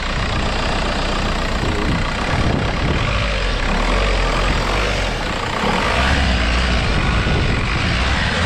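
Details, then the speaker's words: Junkyard VW MK4 Golf TDI diesel wagon at idle: even diesel clatter, steady rhythm with no misses or hunting, sounds healthy with no white smoke; only known faults a loose tensioner and broken hood latch. "yeah so it sounds healthy for what I I assume I don't see any white salt coming out nothing back here"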